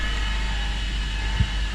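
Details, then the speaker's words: 2015 Ford Fusion hybrid; steady whine over the drone from the transmission, worse in drive or reverse and fading in neutral, sounding like a power steering pump; a worn bearing inside the transmission is suspected. "So also when you put it in any gear, let's say you go in reverse, it gets worse. Like over there, neutral kind of goes away a little bit, but here go back to drive"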